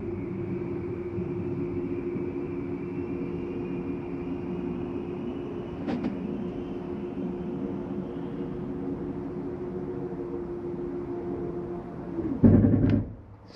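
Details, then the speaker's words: 2023 Flagstaff Classic 832BWS travel trailer, slide number two (bunk room) retracting: even motor hum with a faint steady whine, pitch creeping up slightly as the room moves in; smooth, normal retraction. "I want you to hear that noise that is just the slide mechanism saying I'm in all the way take your finger off the button"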